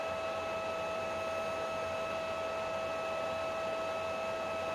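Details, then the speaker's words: PlayStation 3 CECHC overheating: steady, high-pitched whine as the fan runs fast at constant speed, making a strange noise; the fan is due to be replaced along with CPU heat-spreader work. "And this fan makes really some strange noise. Can you hear that? Okay, so I'm gonna change the fan also."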